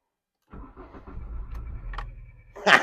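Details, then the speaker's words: Mk3 VW Golf GTI 8-valve petrol, 115,000 miles, abandoned six years: starter churns at a steady even beat about two seconds but never fires; crank no-start, owner suspects fuel pump not working, can't hear it. "come on Mr VW I'm not sure my fuel pumps working I can't hear it sound like it"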